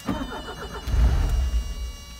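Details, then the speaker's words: 1983 Porsche 944 after sitting 14 years, new fuel pump, strainer, filter, rebuilt injectors: cranks, fires briefly then dies within a second as the key returns; stays running if key held, faulty ignition switch suspected. "But as you can see, the car isn't staying running. All right, so I'm thinking this has something to do with the ignition switch here."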